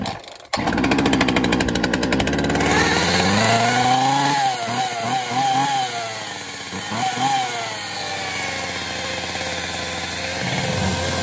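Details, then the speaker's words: Poulan 2150 chainsaw rescued from the trash, drop-started on test fire: buzzy two-stroke note revving with a wavering rising whine; clutch worn out. "So the clutch is shot. Did you see that? Did you hear it whining? But that's an easy enough fix."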